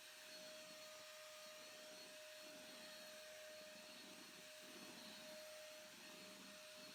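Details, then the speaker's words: Hotpoint/Indesit VS S15 AAW steam vacuum in vacuum mode: a steady high motor whine holds one even pitch with no grinding or surging. The vacuum motor runs healthy, though the brushes are unchecked. "It appears to work quite well. The only thing I haven't checked is the brushes."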